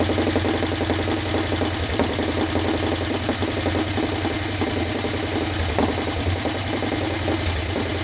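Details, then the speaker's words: Harley Sportster 1200 that sat outside full of water and algae, first start after being swapped into a chopper without a rebuild: lumpy V-twin idle with a fast, light tick in time with the engine; owners call it the old Sportster top-end tick and think it'll clean up. "I think sounds good. Even with the tick, it was like it hit. I think it'll clean up."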